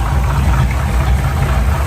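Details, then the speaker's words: Apparently a 1971 Chevy pickup with points ignition, power steering and power brakes: a deep, even idle with no knocks, misses or ticks, running smooth. A slight exhaust leak and a squealing belt are noted. "That really runs nice and smoothly."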